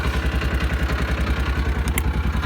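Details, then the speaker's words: Old Kawasaki Mule warming up just after a choke start: even idle pulses at about nine per second with no knocks or misses, smooth and healthy. "So yeah, actually while it's running, I'm gonna walk around here and show you guys that it idles very smoothly. Yep, nice and healthy."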